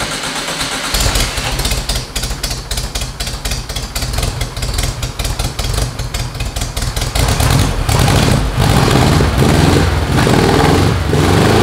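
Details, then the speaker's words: VW air-cooled engine on a custom tracked trike, first start after fueling, carbureted: catches after a short crank and settles into a steady, even chug with a few throttle blips. Runs healthy. "but hey she runs sounds good [Music] sounding good i'm happy with the way it sounds"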